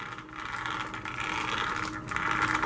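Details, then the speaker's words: Arrma Vorteks 4x4 3S BLX 1/10 stadium truck RTR, new out of the box: light rattly whirring from the ungreased gears rising and falling with the motor, no clunks or grinding; normal gear noise, nothing broken. "This is the normal noise coming from the gears. So when you get it, the car is not broken. This is how they set up the gears inside."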